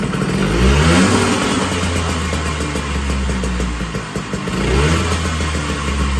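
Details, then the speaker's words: 1980 Puch Murray moped with Tomos A35 top end, Mikuni VM18 carb, custom Estoril pipe and timing set near 17 degrees, first start: small two-stroke buzzes to life, revs rising and falling unsettled; idle not yet dialed in. "Now that we got everything put back together, let's see if we can get this started up for the first time."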